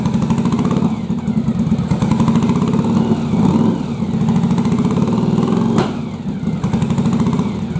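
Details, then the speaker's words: Yamaha Virago bobber V-twin at idle runs lumpy and uneven, beats missing; front cylinder not firing and not heating up, traced to a fouled spark plug that fires only at higher rpm. "we're going to diagnose a little bit as to why i'm having an issue with one of the cylinders not firing so when i fired it up it fires up but it only hits on one cylinder here"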